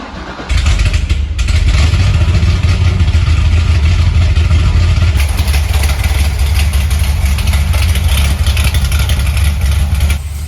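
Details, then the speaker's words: Corvette C6 Z06 V8 starting after several failed attempts and a pushrod length correction: it fires within half a second and holds a deep, even rumble with no knocks or misses. Healthy start and idle. "Woo! We finally got it. She is alive, sounding good."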